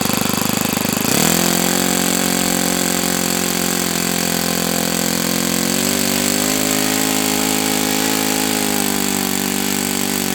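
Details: O.S. FS-91S II four-stroke model engine on first run, throttle about a quarter open, primed; catches after about a second, then holds a clean, steady buzzing note lifting slightly midway; healthy run.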